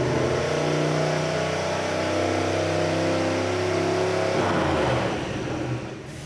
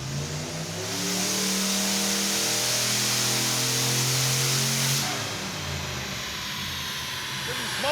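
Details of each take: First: 1974 Mazda RPU with turbocharged mid-mounted 5.3L LS4 on E85, first dyno pull: engine held at high revs, note ragged and uneven, running badly; traced to a dead, misplaced O2 sensor, later replaced. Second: 1974 Mazda RPU Mazdarati 2.0 mini-truck with turbocharged 5.3L LS4, full-throttle dyno pull despite a transmission that won't shift: note climbs smoothly for about four seconds then drops off cleanly, no stumble or misfire; ran clean.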